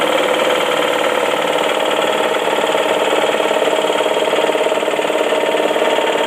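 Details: 2004 Saab 9-5 Arc wagon, automatic, 114k miles: steady knock at idle, about three per second. It dies down at higher rpm and when the HVAC is switched off. There is no oil leak or warning light, and it seems to come from the oil pan area. Owner suspects a loose rod or bearing, not confirmed.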